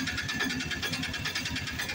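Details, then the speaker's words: Piaggio BS4 auto-rickshaw engine after tappet adjustment that cured long cranking before starting: starts on one crank and idles with a quick steady putter, even regular firing pulses, no misses or knocks. "यह देखो आप engine देख लो एक self में engine start हो"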